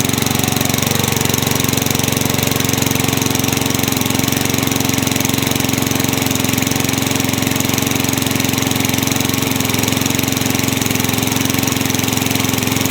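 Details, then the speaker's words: Craftsman mower with engine swapped in for the blown Tecumseh, running after the kill switch and coil wiring were fixed to restore spark: single-cylinder loud and steady with a fast, even putter, no misses or knocks; healthy. "Well, there we go. The Craftsman lives on."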